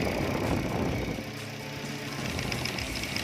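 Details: 2011 Toyota Altis idling unevenly, lumpy and stumbling with strong shaking, no power when throttled; ignition coil previously replaced, coils to be tested one by one; misfire.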